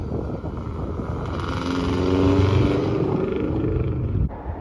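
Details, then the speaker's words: Built Blobeye Subaru WRX, EJ20 bored to 93 mm with a Blouch 1.5XTR turbo, Tomei UEL headers, catless downpipe and a speed density tune, running 27 psi on 92 octane: the engine note climbs smoothly as it pulls away, with no knocks or rattles. "Usually when people drive off, I give it a good listen. Just in general, make sure everything sounds right."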